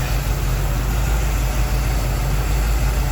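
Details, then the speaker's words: 1969 Chevy C/20 pickup V8, cold idle after adding power steering fluid: steady deep rumble, pump noise gone and no lifter tick; tick appears only when hot, suspected lifter collapsing with hot, thin oil. "all right the power steering noise was instantly fixed with fluid and I noticed the lifter doesn't tick when it's cold and then it does when it's hot"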